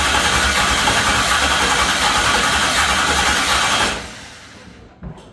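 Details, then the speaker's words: New stroker LS V8. It catches and runs with an uneven, stumbling, loading-up beat, then dies after about four seconds, a misfire. "he didn't get the push rod in the uh lifter. So, unfortunately, we were not opening the intake rocker, and that's why it sounded like it was missing, loading up."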